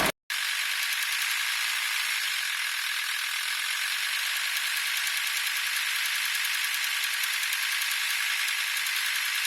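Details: VW T4 2.5 TDI (AXL) diesel: fast, even metallic rattle steady at the serpentine belt area, only at 1050-1100 rpm; probably the belt tensioner pulley, not confirmed.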